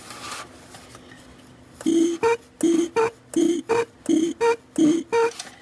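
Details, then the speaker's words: Barn-find Austin-Healey Bugeye Sprite, stored 30–40 years, mechanical fuel pump run by pressing its bottom lever: regular clean even strokes about 1.5 per second, pump verified making vacuum. Normal fuel pump operation. "i have verified that the fuel pump runs this one does have a lever on the bottom if i push down on the pump you can hear it running"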